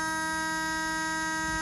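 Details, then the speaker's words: Barn-find 1979 Honda Prelude, after fitting a fuse taken from the other Honda, before starting. A steady, unbroken electric buzz: the door warning buzzer working. "okay oh i have a door buzzer"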